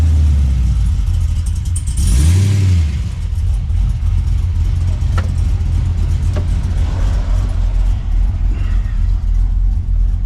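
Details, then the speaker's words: Holden VX SS Commodore V8 with fully rebuilt engine and transmission, big cam, new exhaust, on its first test drive after restoration: deep rumble climbs cleanly with throttle, settles into strong even cruise, no knocks or misfires; normal acceleration. "that's going good that was good hope it doesn't St it's going it's going to that's good man"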